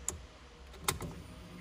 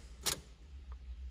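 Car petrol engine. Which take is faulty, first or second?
second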